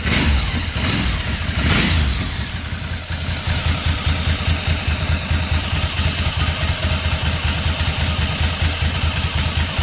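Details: 2006 Ducati Monster 800 running for the first time in years after fuel pump replacement and injector cleaning. Loud, lumpy twin beat with quick throttle blips settling to a steady uneven-firing idle; runs healthy.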